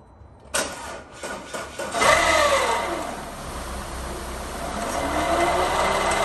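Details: Audi/VW 2.0T with low battery light and not charging: right after start a shrill screech slides down in pitch as revs settle; failing alternator, replaced.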